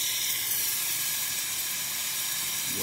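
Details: Breville Oracle 980XL espresso machine after replacing leaking steam-boiler o-rings; it had been rattling and steaming by itself. The steam wand gives a steady, even hiss with good constant pressure and no sputtering, so it is working normally.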